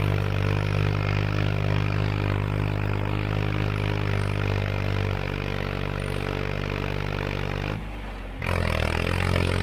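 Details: Tractor after a tune-up (hydraulic fluid and filter, spark plugs, O-ring, air filters) on a test drive in what the driver guesses is fifth gear: steady low drone pulling hard uphill with even firing, a brief dip in load and clean recovery; healthy under load.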